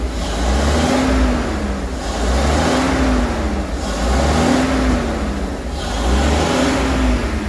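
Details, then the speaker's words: Rolls-Royce Silver Shadow 2, sat neglected over 10 years, after twin SU carburettor rebuild, running rich at idle: revved in slow swells, uneven and lumpy, sounds not on all cylinders; less smoke, throttle a bit sticky. "It doesn't sound like it's on all cylinders. Still moving. It's a bit sticky."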